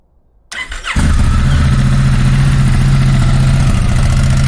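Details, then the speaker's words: Honda Africa Twin motorcycle after an air filter change with panels refitted: short starter whirr, then catches and settles into a steady, even idle with a smooth low beat; normal start and idle. "Sounds good. And I think that's pretty much it."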